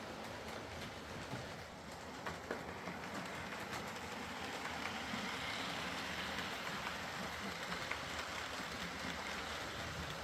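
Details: Used Hornby R2959 Thompson L1 2-6-4T on the layout after the fix: quiet, even whirr with light rail clicks and no gear grinding. Grease on the worm gear cured the forward grinding caused by the double gear lifting against the worm.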